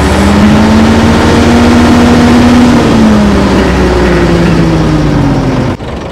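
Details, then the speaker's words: Old Fiat-Allis bulldozer diesel, revived after years sitting; steady high drone with throttle open, then pitch sinks smoothly to slow speed as the decelerator pedal is pressed for a forward/reverse change; normal slowdown. "if you have the throttle opened up and you're working you push that down that'll bring it back to an back to a slow speed so it can change from forward to reverse"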